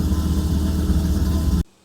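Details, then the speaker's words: 1997 Dodge Viper GTS V10 just started cold after fuel pressure regulator leak-back fix with new regulator, hose and barbs; steady even low rumble at slightly raised cold idle expected to come down, no misses or knocks; normal cold idle. "so cold so that idol should come back down but [Music] everything looks good"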